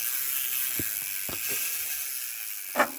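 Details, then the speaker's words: Rear freehub of a Rockrider AM Fifty S 29er mountain bike (SRAM SX 1x drivetrain), cranks turned backwards. A few sharp ratchet clicks in quick bursts from a healthy freehub pawl engagement; the number of engagement points matters, not the noise. "Après, le bruit, ça sert à rien. C'est le point d'engagement qui est intéressant."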